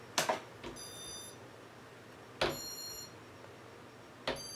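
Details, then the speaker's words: Casablanca Four Seasons ceiling fan, Intelli-touch control: click and short high beep about every two seconds as it cycles through all speeds by itself at switch-on, straight to speed 6; control board suspected, not confirmed. "so soon as you turn it on it goes through all the speeds like as if it was in demo mode except it doesn't have a pause when it gets to speed 3"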